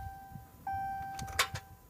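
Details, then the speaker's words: 2015 Ram EcoDiesel with about 125 miles, morning start attempts after the glow plug cycle: a chime and a few sharp single starter clicks with no cranking. It needs the starter manually jumped about seven or eight times; cause not found, going to the dealer. "click shut the key off 124 miles try it again let the glow plug cycle click I will have to get underneath this thing and manually jumper to starter about seven or eight times it'll click click click click click and it'll finally take off and go this shouldn't be happening on a truck with 125 miles on it"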